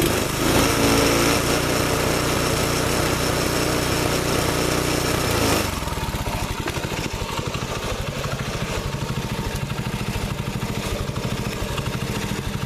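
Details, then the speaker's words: Freshly reassembled water-seized Predator 6.5HP Honda-clone engine on a Baja Warrior minibike, break-in after rebuild: brief louder run then steady, even single-cylinder idle, no smoke. Normal idle. "Then what I did was I finished putting this thing together, and obviously it's running. So you guys can see idling, there's really no smoke."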